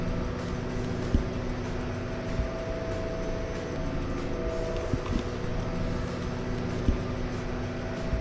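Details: Nordhavn 63 engine room underway: steady, deep diesel drone with even tones and only occasional light clanks; no leaks or loose fittings and the autopilot steering correctly, all normal.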